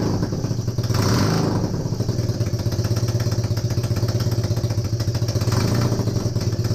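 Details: Honda CB250N Superdream twin, rebuilt from boxes of bits, with new spark plugs, first successful run after the disconnected kill switch was found. A steady, low, even thumping tickover with no knocks or misses. Normal idle; owner suspects the base gasket for a front oil leak.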